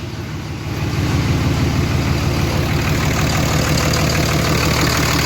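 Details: Diesel hotshot truck after built valvetrain and head stud install: settles into steady even idle about three beats a second, no misses or knocks; check engine light from unplugged injector harness; healthy.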